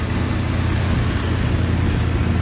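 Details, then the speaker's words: 1988 Dodge B350 fleet van 350 V8, rusty drivetrain donor, running in the garage: deep, even rumble with a smooth, steady note and no knocks or ticks. Runs good, sounds good, just rusty. "can't tell where the linkages on this so runs good sounds good just rusty"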